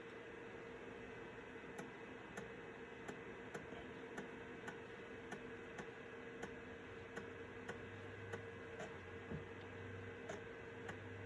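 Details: Citizen W1D floppy drive in a Compaq Armada 7770DMT after belt replacement, copying system files to a 1.44 MB diskette: soft ticks roughly every half second over a faint hum as the head steps and writes; normal floppy drive operation.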